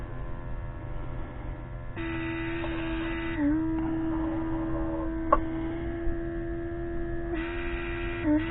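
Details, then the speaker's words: 2005 Mercedes W463 G500, driver's multicontour seat air pump with key on. The small pump hums at a constant pitch with brief dips and never cycles off, sensing a constant need for pressure. "so I plugged it in and turn the key on and now apparently it's just running so it's sensing a need for pressure from something it's blowing air"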